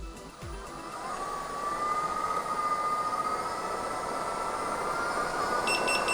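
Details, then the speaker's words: Begode electric unicycle in a no-rider lift test: motor whine climbs with wheel speed, then quick high beeps near 61–62 mph. This is the default 80% power alarm, meaning 80% of capacity is in use. "so as you saw there the beefs went off around 61 and 62 miles per hour so that meant that 80 percent of the capacity was being used at that speed with no weight on it"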